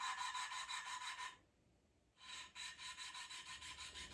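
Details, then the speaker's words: Triumph Spitfire cylinder head on the bench: steady back-and-forth rasping, about three strokes a second, as a valve is lapped into its seat with lapping compound ("liquid sandpaper"); the cutting sound gets less and less as it beds in. "You can hear as the cutting gets less and less."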